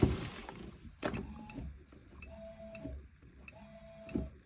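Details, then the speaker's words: Hymer C404 motorhome submersible water pump, switched by tap micro switch: short bursts of soft electric whirr with light clicks between them; pump runs normally only when a tap is opened. "so you can hear that can't you hear the pump going and you can also hear the little click so the big Pro to having a submersible pump like this one is that you don't really get loads of pressure around the vehicle all the time"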